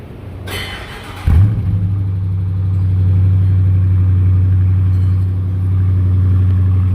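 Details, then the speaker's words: 2018 Dodge Charger R/T 5.7L Hemi just after an oil change with 7 quarts: starter catches, V8 flares briefly then settles to a deep, even burble with steady firing; normal healthy start-up. "So I've got somebody getting in it right now so you guys can hear what it sounds like when it starts up."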